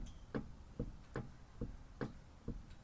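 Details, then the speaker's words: 2010 Kia Rio on jack stand, wheel rocked by hand showing play: sharp hollow clunks about twice a second following each rock; worn outer tie rod end, to be replaced. "If there's some movement or play, then you got a bad tie rod, whether it's the outer or the inner. This one happens to be the outer tie rod."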